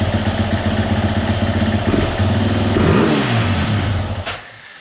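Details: 2020 Husqvarna FE 350, 40 hours, which bogged and stalled on quick throttle, after replacing in-tank fuel filter and screen (gasket leaking fuel): even idle, clean sharp rev without hesitation, smooth return; normal idle and free revving.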